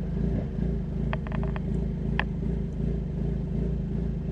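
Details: 2020 Ford Mustang EcoBoost with forged Stage 1 short block, Ford Performance camshafts, 12 psi wastegate, exhaust valves open, recorded behind car: deep idle with deliberate irregular diesel-like chop from a ghost cam tune, idle speed stable; ghost cam tune choppy idle.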